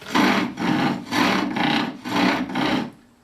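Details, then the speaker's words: Spring pole lathe sizing chair stretcher tenons: rasping cut-and-return bursts about twice a second with an uneven bouncing sound, meaning the workpiece has loosened slightly between the centres and needs readjusting. "so you hear that sound, that bouncing sound? That means that it's loosened up on me just the least little bit."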